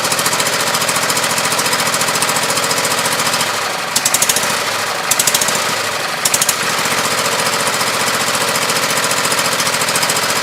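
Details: Husqvarna YTH2448 mower with 24 hp V-twin Briggs, regulator just replaced: uneven beat, dips, then popping and sputter; one side cylinder traced as weak, owner plans compression test. Misfire.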